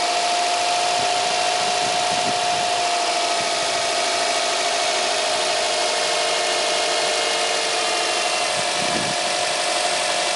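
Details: Subaru Impreza 1.5 at idle: steady mid-pitched power steering whine, louder at full lock; caused by air entering through a worn O-ring on the return hose at the pump; belts, AC and pump were fine, and replacing the O-ring fixed it.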